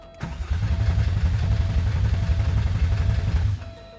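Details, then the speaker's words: Porsche 964 project, first start attempt, cranked with distributor unplugged to build oil pressure; even, steady cranking about four turns a second, no catch or drag, engine not firing; healthy crank. "yeah that's good though it cranks healthfully"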